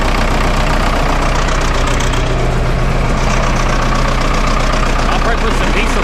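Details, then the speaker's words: Vermeer 1800 chipper diesel, first start after sitting about four years, bought at auction: even, steady idle chug about four pulses a second, no knocks or misses; engine running healthy. "so yeah like I said it does run pretty good"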